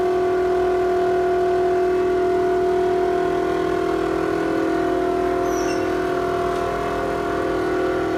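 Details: Toshiba exhaust fan in a restaurant toilet: steady loud hum with a strong fixed tone and a fast regular rattle about four per second, audible down the corridor; abnormal fan noise.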